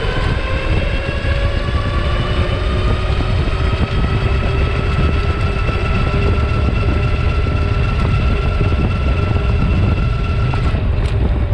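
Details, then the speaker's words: Super73 RX e-bike (V1), GoPro mounted near the wheel pointing down: steady motor drone with road rumble and a faint rough grind, occurring every time when leaning and at full throttle; grinding under load, cause unknown. "so there you go we got it two times every single time was when I was leaning and gunning it on the throttle so now we know pretty consistent"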